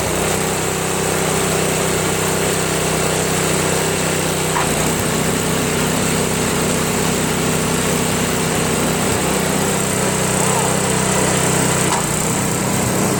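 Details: Craftsman snowblower, after a replacement gasket was fitted (not leaking) and the bottom carburetor screw was adjusted: the small single-cylinder engine holds a steady, even buzz with no hunting or surging; it runs clean.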